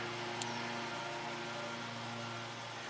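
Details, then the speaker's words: 2005 Jaguar S-Type V6 fuel pump on direct battery power and ground, drawing 8 amps (only 1.6 A on key crank): steady low electrical hum with no spinning whir; the pump is mechanically seized. "8 amps and you can hear it kind of try to turn but it's definitely mechanically stuck"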